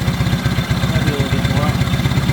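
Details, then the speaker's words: 1970 Honda N600 sedan twin-cylinder engine with borrowed carburetor and coil, after backing off the too-tight idle screw from about 4,000 RPM: quick, even, unbroken idle at about 1,200 RPM with no misses: normal idle. "That went pretty good right there. Probably about 1,200."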